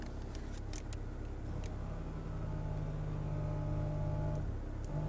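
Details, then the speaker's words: BMW E61 535i wagon, auction-bought, rough history: low steady air-suspension compressor hum holds evenly but the car doesn't rise; owner suspects valves not opening, and after clearing codes with a scan tool it starts raising. "Well the compressor works but the valves probably aren't opening and closing let's get the scan tool let's see if we can do some stuff here"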